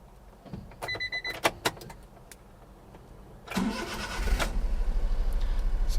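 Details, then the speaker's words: 2005 Honda Acty SDX 4WD kei truck (HA7), E07Z 658 cc three-cylinder petrol, 36,500 km, cold start after a door chime: fires straight up and settles into a steady, quiet, even idle. "fires straight up it's cold so the engine cold light is still on"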